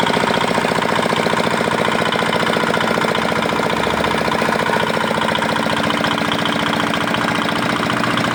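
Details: Old, modified Chinese R180 single-cylinder diesel used for wood splitting, after repair of a bearing knock/seizing complaint (crankshaft already replaced elsewhere): steady even chug at constant speed, no knocks, misses or rattles; running healthy.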